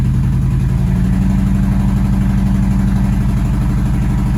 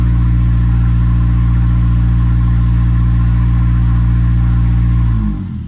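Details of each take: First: 2011 Nissan Altima, flashing check engine light, P0303, in Drive with slight load after five seconds running: deep idle stumbling, uneven thumps with dropped beats; misfire moved to cylinder 2 after coil swap, faulty ignition coil. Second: 2011 Nissan Altima after ignition coil replacement for a cylinder 3 misfire (P0303), in drive under load: smooth, even low hum at steady pitch, no skips before shutoff; healthy, no misfire, later 5-mile road test fine.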